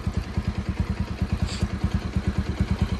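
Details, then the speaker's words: Bajaj NS200 BS3 single, after repair for customer's engine-noise complaint instead of a full rebuild. Even, regular idle of a few pulses a second, no ticking or rattle; healthy. "ഇതാണ് നമ്മുടെ വണ്ടി N S 200 BS [കരഘോഷം] three sound എല്ലാം പക്ക clear ആയിട്ടുണ്ട്"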